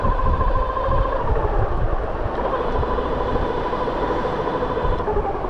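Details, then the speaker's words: Bafang G62 1000W hub motor on a Flipsky 75100 Pro V2 controller, three-year-old nylon gears, phase amps possibly set too high, while riding: rough, warbling gear whine under road rumble; damaged nylon planetary gears. "something funny is going on with the flipi right now that that I don't like oh why does the motor sound different now it sounds funny"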